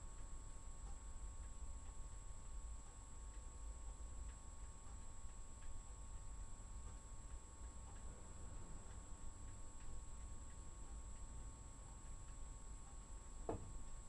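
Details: Water pipe in the wall behind the fridge knocking, recorded 23 Nov 2016 at 11:46 after a one-day pause; quiet room with faint steady hum, then one sharp single bang in the wall near the end.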